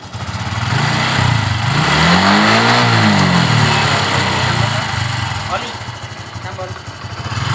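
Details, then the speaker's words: Honda Supra X 125 injection motorcycle, previously no-start and stumbling when revved, after wiring repair (battery also weak, kick-started): quick smooth rev then steady even idle, now normal. "Hai teman-teman Dufan kisah ini ternyata akinya Lemah juga kita engkol temen-temen untuk stasionernya sudah normal"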